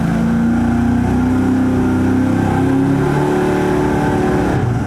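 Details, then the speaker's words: 5.3 L LS Chevy (LM7) V8 on the dyno, Holley carburetor vs Holley Terminator EFI test: unsteady, stumbling note as revs climb, a slight misfire later traced through A/B testing to a fuel distribution problem. "the issue we're having right now is that sounds like it has a little bit of a misfire"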